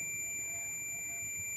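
A steady, high continuous beep from the meter, unbroken for nearly two seconds, confirming continuity across the compressor winding pins.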